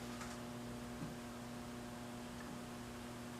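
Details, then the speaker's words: 1959 Blaupunkt Verona valve radio under restoration, powered up slowly on a variable supply, FM band at about 41 volts; faint steady low buzz over quiet hiss: mains hum already audible, a bad sign, cause unknown. "Et là, ça devrait... on entend déjà un hum, là, ce qui n'est pas bon signe."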